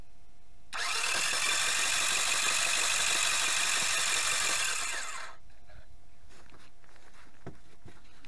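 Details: Outboard motor that had been submerged, cranked again with spark plugs out to clear water from cylinders and avoid bending a connecting rod; fast, light, even cranking about four beats a second with no compression load, spinning freely.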